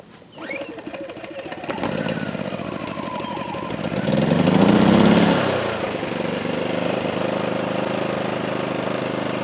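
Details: PowerSmart 2350W inverter generator with CO alert, first start in eco mode with choke, no load: pull-start catches, surges briefly with a rising hum, then settles into a steady, even buzz; normal clean idle.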